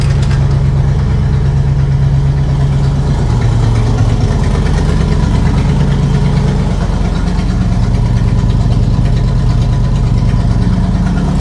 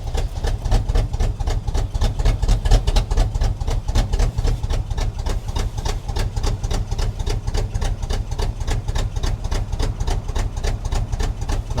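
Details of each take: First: 1976 Chevrolet K20 3/4-ton 4x4 truck, V8 revived after sitting for years; smooth, even idle with no misses after likely new carb, no carb adjustments yet. Owner unsure if it was the carb or a vacuum leak. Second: 1976 Chevrolet K20 3/4-ton 4x4 farm/plow truck, sat for years, just started cold: lumpy shaking idle with heavy uneven thumps about four a second, cylinders dropping out; misfire from faulty carburetor, owner also suspects plugs and a vacuum leak.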